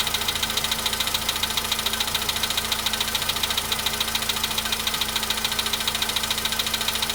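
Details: VW Polo Sedan at 93,000 km, cold start: a sharp, very regular knock about 140 times a minute over a steady idle; its source is not pinned down.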